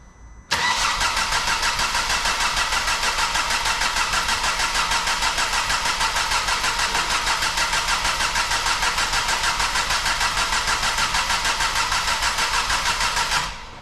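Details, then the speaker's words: Ford Focus ST barn find, first crank after priming to circulate oil, fuse pulled, replaced flat battery so running off a jump pack: starter spins engine evenly, about three beats a second; compression sounds equal on all cylinders. "Well, that sounds good anyway to start off with. Sounds good, does it? Yeah, it sounds good. It's got compression on all cylinders."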